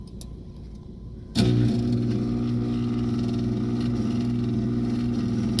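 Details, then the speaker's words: Trane furnace not heating, checked for flame rollout: the inducer blower kicks on to a steady low drone with a rough pulsing undertone, about four beats a second, with 212 V supplied; the failed inducer motor was replaced. "all right guys there's our noisy inducer motor"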